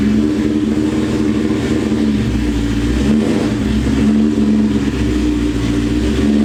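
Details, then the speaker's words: Built, cammed, supercharged 2003 Mustang Cobra V8, about 700 hp, Borla ATAK exhaust, 93 pump gas, after a retune reaching 22 psi boost, driving in rain at about 30°F: steady even V8 drone while cruising, no stumble, surge or popping; normal running. "right so you know when your car is not running right and then you get a tune revision and it's just like oh i feel better now"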